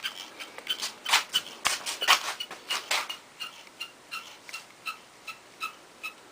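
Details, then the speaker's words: 12-speed bicycle with an out-of-true rim catching the brake pad: a light scraping tick about once per wheel turn as the wheel spins, fading as it slows. The fix is loosening and retightening spokes to true the wheel. "so what we have to do with that is loosen some spokes and re-tighten them to bring that wheel back into play again so she's running straight"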